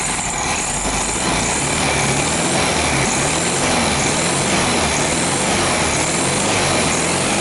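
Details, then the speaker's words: 1973 VW Beetle after fuel pump replacement and engine service, timing advanced, revved: rough metallic scraping over the running engine rising with revs; slightly bent pulley rubbing on hammered engine tin, suspected. "ah esse barulho esquisito é porque a polia ela infelizmente ela tá pegando naquela chapinha que eu martelei tá"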